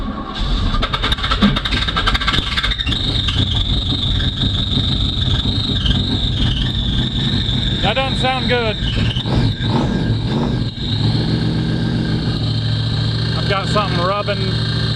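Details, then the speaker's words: Old Mustang with a new flywheel and starter just fitted and a JB-welded cracked block: rough, gritty grinding rides over the running engine without letting up, apparently the starter drive contacting the flywheel; owner plans to swap the starter. "just to let you all know that the noise that we're hearing on this car it appears that the starter drive is just coming in contact with the flywheel"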